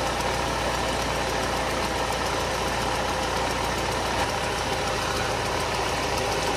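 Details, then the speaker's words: Mercedes SLK R170 Kompressor that would not start, after replacing the K40 box ECU relay (broken coil) with the air pump relay: engine catches and holds a steady even idle, no stumble, hunting or stalling. "Sitten katsotaan lähtikö käynti. Sehän lähti. Relevaa teki kiusaa siinä."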